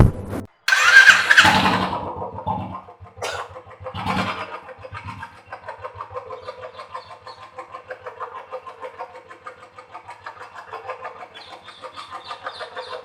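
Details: Royal Enfield single, about 4000 km, after a mechanic fixed a loud tick-tick tappet noise: starts, then settles into a steady single-cylinder thump with only a light, even tick; top end sounds healthy, normal idle.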